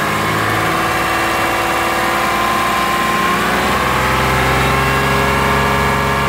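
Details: Warm Lexus RX330 with 3MZ-FE V6, revs around 1,000-3,000 rpm; light fairly regular knock over the running note tracking engine speed, owner unsure of cause, asks if piston knock.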